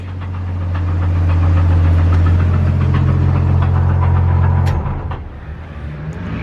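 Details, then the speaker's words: 1JZ inline-six, smoking heavily, had made funny noises before: steady regular knock about four per second, then engine note drops; suspected rod knock. "No, it sounds like the engine, dude. You hear that, right? Rod knock!"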